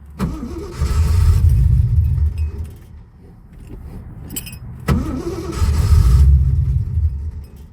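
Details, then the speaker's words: 1979 AMC AMX stranded roadside on a 40-degree morning, two gallons just added from a can: two long cranking bursts at about three chugs per second, no catch, pulling fuel forward. It had run out of gas and the gauge reads wrong. Extended cranking after fuel starvation. "I really hope all I did was run this thing out of fuel that's all I did"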